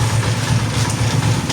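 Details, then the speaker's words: TMX155 single-cylinder motorcycle after reassembly fix (clutch-side gears levelled, missing washers added to gear and kickstarter): low, regular thumping idle with steady rhythm, no knocks; slight noise heard on phone is normal; idle back to normal. "So yung naririnig natin, lalo na sa video, lalo na sa cellphone, pag yung andar ng makina, pakinggan mo, parang may maingay ka naririnig, no? So normal lang yun."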